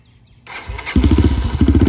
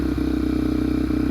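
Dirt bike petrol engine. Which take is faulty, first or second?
first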